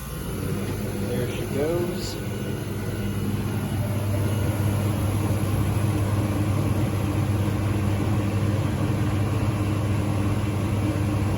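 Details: Through-the-wall condensing unit with newly replaced compressor (original failed months after install), first start after changeout: brief chirp then steady low hum, even with no rattles or strain; normal running.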